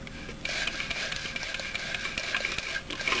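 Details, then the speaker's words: Kirby Heritage 2 vacuum with cracked, nicked original fan turned slowly by hand; dry scraping rasp with repeated catches each revolution as fan rubs the bearing plate; fan needs replacing with a metal fan. "So that's just rubbing against the bearing plate, and all of this thing's just falling apart."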